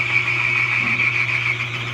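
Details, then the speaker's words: Older Frigidaire stackable washer/dryer: steady, high bird-like chirp over a low motor hum, heard only in the wash and spin cycles, not while filling or draining, from a worn washer drive belt; the fix is a replacement belt. "but if you're here if you're getting the uh chirping noise like a bird it's usually going to be the belt that controls the wash and the spin"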